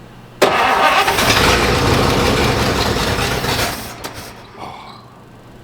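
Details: 1953 Oldsmobile 98 Holiday hardtop on its own fuel supply, accelerator pump primed, choke being set: starter grinds about three seconds at steady churn without catching, then stops; cranking no start, cause not confirmed.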